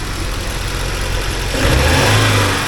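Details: 1979 Porsche 924 running again while warming up, temperature gauge at about 3.6–3.7: even fast idle, then revs up cleanly and settles with no misses or knocks.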